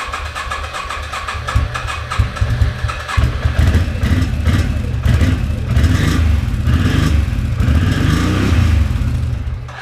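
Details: 2006 Can-Am Outlander Max 500 after a new AGM battery fixed a bad battery and no ECM communication: it fires and runs with a deep steady thump, picking up cleanly through throttle blips.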